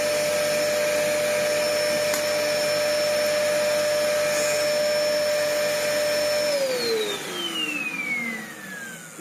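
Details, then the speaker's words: Dyson DC01 upright vacuum built June 1998 (about 25 years old), first run before repair: steady motor whine with thin high tone, pitch sliding down at switch-off; machine choked, completely clogged airflow. "This thing is completely and utterly clogged up."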